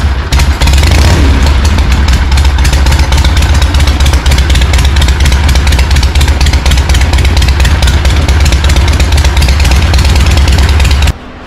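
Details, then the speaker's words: 1974 Harley-Davidson Ironhead chopper, not run in 15+ years, first start with fresh oil and no exhaust pipe; ragged, loud lumpy firing with uneven exhaust pops as it blasts out built-up crud, barely settling. "all right see if she's gonna fire up today oh she's blasting all sorts of stuff out"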